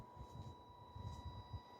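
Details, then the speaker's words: FMS Atlas 4x4 RC crawler in stock form with Hobbywing 1040 ESC, driven smoothly: faint steady high whine near 1 kHz over soft low rumbles; normal, non-adjustable PWM motor whine. "You can hear the, I don't know if you'll be able to hear the whine of the motor. That's called pulse width modulation, and that's not something, as far as I know, that you can adjust on the 1040 ESC, so that sound just kind of is what it is."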